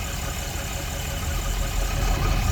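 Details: Diesel truck idling after the bottom radiator hose that popped off was refitted and the coolant refilled. Coolant is circulating and no leaks. Low, even rumble with a steady beat and no knocks or misses; normal idle.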